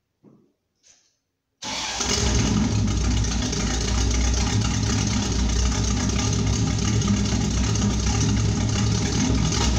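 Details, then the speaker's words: 1972 Pontiac Firebird Trans Am V8, muffler blown apart after engine loaded up with gas, cold, no choke: after a pause fires into loud, raw unmuffled roar with choppy lope; blown muffler. "I'm going to let you hear what this sounds like with the muffler blown out now put it up in the air and I'll uh show you what the muffler looks like maybe it sounds like a race car to some people"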